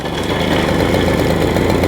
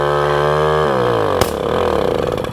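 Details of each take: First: 1980 Garelli Super Sport pedal-start two-stroke moped just started, after replacing swollen rubbers in the transmission clutch disc, idle deliberately set low: rapid, even putter with steady firing, no misses or surges; idling normally. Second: 1980 Garelli Super Sport pedal-start two-stroke moped: fast steady buzz well above normal idle, then sags and stumbles winding down; idle set too high, exhaust recently decarbonized.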